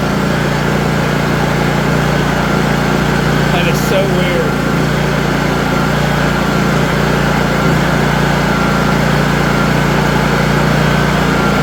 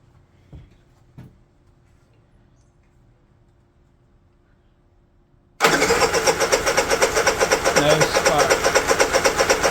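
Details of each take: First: Honda EU3000is generator hand-started after an ignition switch replacement; it runs great but won't start on the electric starter. Steady, even drone with no surging or misses, then it winds down when switched off. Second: Honda EU3000is generator with new ignition switch, kill circuit jumpered: after a pause the electric starter churns steadily about four beats a second without the engine catching; owner says he flooded it. Cranks but won't start.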